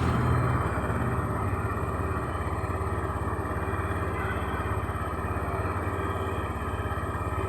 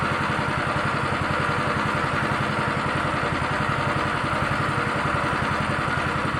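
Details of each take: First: Honda Beat fuel-injected scooter with a rough-starter fault and hesitation on initial throttle, started with the starter again working normally: steady, even idle beat of about three pulses a second with no misses, stumbles or hunting; normal idle. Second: Honda Beat injection scooter with rough starter, hesitation on initial throttle: small single idles with an uneven, stumbling beat about two pulses a second; rough idle, cause not yet found.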